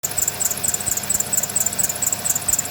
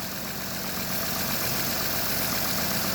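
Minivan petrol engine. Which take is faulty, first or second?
first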